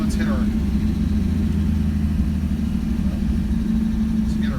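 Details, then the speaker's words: 1965 car, Ford 200 six with FiTech fuel injection replacing the carburetor, just started: smooth even low idle hum with no misses or knocks; it idles much better and a little smoother than with the carburetor. "idles it idles a lot a lot better than it did with the carburetor before think like it's a little"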